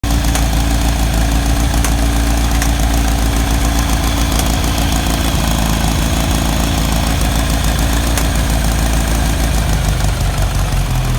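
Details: 1991 Kawasaki ZZR1100 being revived after purchase as spares or repair: loud steady idle with an irregular rattly knock over the exhaust beat; unidentified abnormal mechanical noise, source not yet found.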